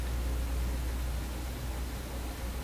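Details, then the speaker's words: Vacuum tube PA amplifier with 6SJ7 preamp tubes, volume turned high with a grounding wire attached: steady low mains hum drone under faint hiss, no rhythm; owner suspects open inputs, hum would blare without the wire. "I've got the volume high enough that if I didn't have this wire here, whoo, if I didn't have this wire here, the hum would be really, really blaring."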